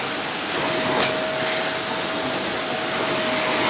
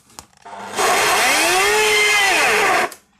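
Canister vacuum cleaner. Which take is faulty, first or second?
second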